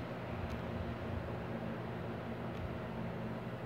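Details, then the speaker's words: Arno Silence Force 40 cm fan, 220 V 60 Hz, previously seized, after lubrication, capacitor not replaced: quiet even low hum, steady tone, no rubbing or rattle; running smoothly. "eu acho que não está precisando de trocar capacitor nós estamos forte e chega ele levanta super silencioso gente olha aí"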